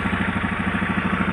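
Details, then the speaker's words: Honda Beat carburetor scooter brought in for abnormal ignition/electrics. Quick, light, even ticking over a steady idle that keeps time with the engine and is clearest at one spot on the engine. White smoke noted; cause of the tick unknown. "suara mesin ada suara ngeteng-ngetek-ngetek bisa [Tepuk tangan] dari suaranya sih tapi lebih jelas di bagian sini"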